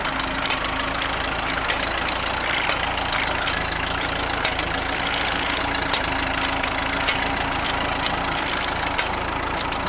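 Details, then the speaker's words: Ford tractor with aftermarket carburetor running slightly lean despite screw adjustment, choke held slightly out: steady idle broken by sharp, irregular exhaust pops about once a second. "the carburetor is running a little bit on the lean side um i've tried playing with the screws but it's one of those aftermarket carbs um so i have to leave the choke held out just a little bit otherwise it gets really really uh sort of doing the exhaust pop"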